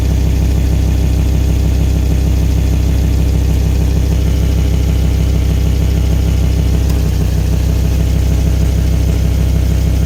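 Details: Volvo V70 XC at steady idle with a fast, even puffing pulse about three per second riding the low engine note, typical of an exhaust leak near the manifold.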